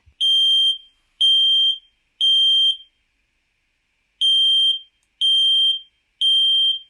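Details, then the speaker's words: Traditional smoke alarm sounding its alert: loud, shrill beeps in groups of three (T3 pattern) with pauses between groups, signalling smoke, unlike a carbon monoxide alarm's four beeps. "Tendrá una secuencia de tres pitidos. Así es como sonará un detector de humo tradicional cuando está dando alertas."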